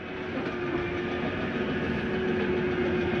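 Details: Jayco Jay Flight 267BHS travel trailer slide-out retracting: steady low rumble and even mid-pitched motor drone, no knocks or grinding, room pulling in smoothly and quickly, bottom shifting up first. Normal slide-out retraction.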